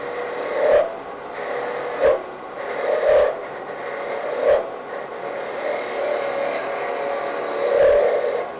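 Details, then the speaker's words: Woodturning a Christmas ornament tip on a lathe sped up, with the slender spindle left thick for support: rasping cuts in buzzy, rattling bursts, tool chatter. Steadied with gentle hand pressure behind the work toward the tool. "start picking up a little chatter at this point so you just bring your hand to the side and just get some gentle pressure back in towards the tool steadies things up a bit"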